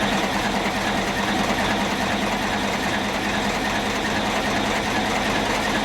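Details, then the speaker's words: 1972 Terex loader, 4-71 two-stroke diesel, no block heater or glow plugs, cold start near freezing: loud, steady, even roar with rapid uniform beat and no knocks; normal cold running. "So I thought that I'd just do a nice, nasty, nasty cold start here. I haven't done one in a long time, and this loader, I had to fire it up last night and it was pretty smoky, so it was, you know, you can tell that with this cooler weather, it makes for really good cold starts."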